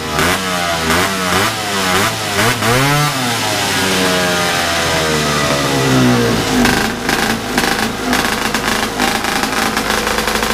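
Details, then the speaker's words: Big-bore stroker 277 two-stroke in a snowmobile, first full-throttle run, around minus 30 outside: revs up hard then hangs at a flat steady pitch at about 8800 rpm, roughly 700 rpm short of the pipe's powerband; clutch setup likely needs changing. "I think I need to change the clutch setup a little bit because I don't think it's running at right rpm yet it's"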